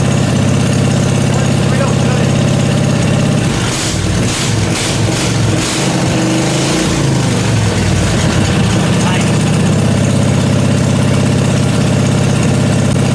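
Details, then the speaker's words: Briggs & Stratton 16 hp 479cc Vanguard V-twin in an off-road go-kart, after carburetor deep-cleaned: deep steady even twin-cylinder idle burble, no misses or knocks; runs really good. "But this thing runs really, really good. That's a really good sign."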